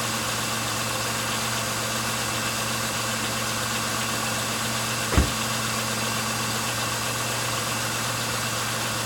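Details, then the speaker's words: 1999 Pontiac Grand Am, about 90,000 miles, after fuel system cleaner added to the tank: steady, even idle hum with constant low drone, one brief bump, no stumbling; previously idled rough and stalled. "okay well seems to be already running smoother than it was"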